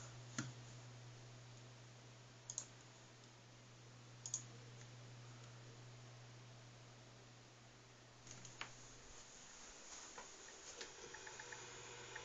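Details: Newly bought Synology DS212 NAS fan in Quiet Mode (DSM 3.2): low hum with sharp irregular clicks growing more frequent; disappears in Cool Mode, occurs even with drives removed.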